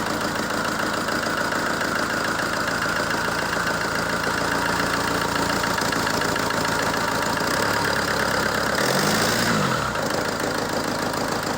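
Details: ZMZ-514 Euro 2 turbo diesel after repair (head refitted, bolts torqued to spec), previously knocking: even settled idle with steady beat, no knock; bottom end sounds healthy.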